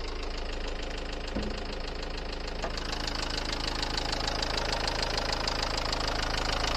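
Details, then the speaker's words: Dacia Duster 1.5 dCi diesel that started first try, idling with a loud, sharp, regular knock. Teardown found valves striking the pistons due to slipped timing, and how the timing slipped remains unexplained. "donc le bruit de claquement venais bien des soupapes qui venaient taper les pistons dû à un décalage de distribution"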